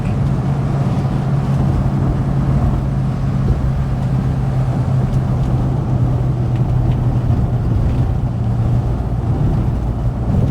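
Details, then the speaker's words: 1974 Rover 3500S V8 driving on the road: deep, even V8 burble pulling steadily with no misses, knocks or exhaust blowing. Normal, healthy running under load. "But listen to this. Going seriously well."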